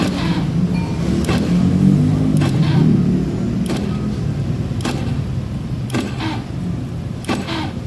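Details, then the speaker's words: Honda Beat FI scooter that won't start even with a new battery: starter groans slowly, then fades into dull clicks about once a second. The meter reads 12 V, dropping to 11 V and falling with the key on. Battery voltage sags too far to crank. "Try starting, it shows 12 still. On the contact and shows 11 but keeps dropping."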